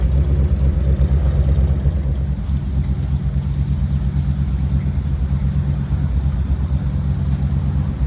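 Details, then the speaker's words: 1964 Chevy C10 first start after sitting 7 years: deep, lumpy idle skipping beats, about three pulses a second, a little smoky; not firing on all cylinders, rings expected to recover from sitting. Engine misfire. "yeah she's a little smoky but that's you know as long as it's been sitting it'll take those Rings a little bit to come back around and she's definitely missing out she's not hitting on all cylinders right so"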